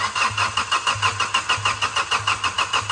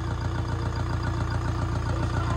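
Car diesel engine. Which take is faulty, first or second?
first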